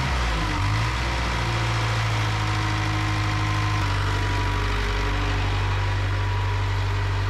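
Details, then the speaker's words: 1975 Cat D3 dozer diesel rumbling steadily, then the tone drops as revs sag; throttle won't hold its setting unless held, cause not confirmed; leaking fuel fitting noted nearby. "there you can see what I mean you have to hold that throttle or it just won't stay put"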